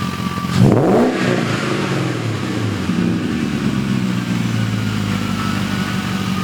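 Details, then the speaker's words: BMW E31 840ci with M62 V8 after a manual transmission swap and new 2.5-inch exhaust with MagnaFlow cats, X-pipe and Vibrant muffler. Quick crank and a sharp rev on firing, then a deep, even idle with no misses or ticks; normal idle. "So, that's it. Uh came out great, sounds great."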